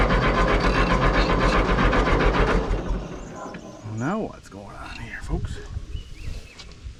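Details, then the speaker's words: Minneapolis Moline GTB tractor: starter grinds the engine over at a steady beat for about three seconds with no firing; crank no start because the temporary ignition coil had come unplugged. "Huh? I see what happened. That's my problem. My temporary coil come unplugged. That'll do it every time."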